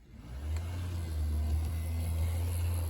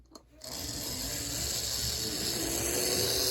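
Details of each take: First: Bachmann Spectrum Amtrak F40 model locomotive test run: steady low electric hum with an even, unbroken drone and no clicks or stutter; the motor runs fine. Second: Tyco 460 model locomotive: thin high buzzing whir with rough gear chatter about three pulses a second; owner suspects it needs fresh oil; noisy gear drive.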